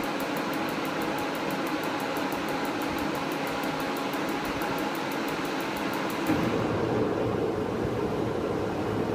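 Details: New heater, run on an extension cord in a cold barn at first light-up: fast steady ticking over a constant fan whoosh stops after about six seconds, leaving an even roar. Heater lit and running normally.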